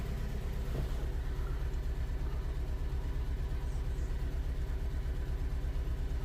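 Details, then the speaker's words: 2011 Ford Ka 1.2 with P0203 code, idling after codes were cleared and the airbox refitted: uneven, lumpy pulse of about a hundred beats a minute with a stumbling rhythm. Misfire persists, so something else is still wrong. "in the meantime I already put the hair box back in so we're going to start this thing and is running like crap"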